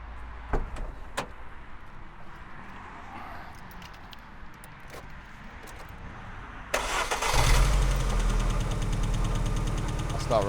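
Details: MG ZR after breaking down in France, after fitting new spark plugs: short crank then uneven, lumpy, stumbling idle; misfire, running on three cylinders, coil packs suspected next.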